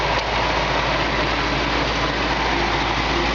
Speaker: you can just hear the car purs like a kitten sounds great